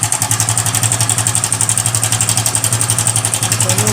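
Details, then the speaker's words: Hero Passion Xpro i3s motorcycle at idle: fast steady metallic clatter about four ticks a second over the idle; timing chain rattle. "दोस्तों इस तरह का sound है और इसका sound जो है हमारा टाइमिंग चैन से है दोस्तों यहां पर दिखा दे आपको टाइमिंग चैन में हमारा इशू है"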